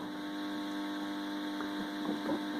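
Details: 5.1 amplifier: constant low buzzing hum, steady and unchanging throughout with nothing else over it; amplifier hum, cause still to be traced.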